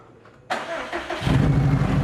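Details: First start of a Subaru WRX STI with header wrap and a new AEM fuel pump, just after the oil cooler hose was replaced to fix a coolant leak and coolant refilled: brief crank, quick catch, then a steady, even idle with no knocks.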